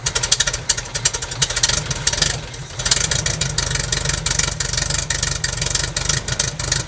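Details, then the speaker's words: 1969 Lotus Europa S2 barn find, off the road 15 years, running on gas poured into the carburetor: uneven, sputtering run with choppy pulses and a dip; lots of water coming out of the exhaust, exhaust leak suspected. "boy a lot of water coming out of the exhaust yeah there's an exhaust leak for sure"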